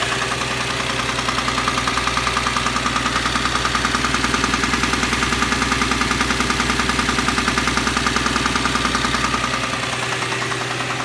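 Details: Subaru EZ30 engine: sharp regular knock about two per second over idle; hard bottom-end knock from a spun rod bearing.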